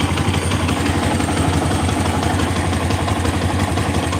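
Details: Motorcycle engine idling roughly with a steady tek-tek-tek knock, about three a second; mechanic checks for a loose part and suspects the clutch, not confirmed.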